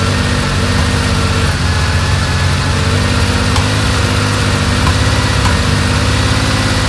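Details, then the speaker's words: 1970 Porsche 911 T during a pre-purchase inspection, on first cold startup while warming up: lumpy, uneven flat-six idle with a stumbling rhythm and a deep vibration underneath; engine misfire at idle. "what I experienced here on my first startup you know what if you hear the misfiring that's pretty obvious there too but what's concerning me a little bit is a I feel like a deep vibration as well"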